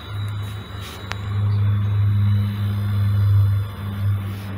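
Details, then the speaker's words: Refrigerator being checked for low refrigerant, access cover removed and plugged in: low steady hum comes up and holds evenly; the compressor starts and runs fine, so it isn't the fault. "aquí sí se escucha el compresor, entonces ese no es el problema."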